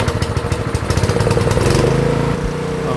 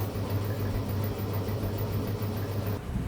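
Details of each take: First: GX160 water-pump engine that would not start with no spark, fixed by repairing a rodent-chewed ignition wire: it now idles steady and even on its single cylinder with no stumbling. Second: Honda GX160 water pump engine after carburettor cleaning: it cranks with uneven low chuffing but never catches. There is no spark at the plug; the ignition wire was found chewed through by rats.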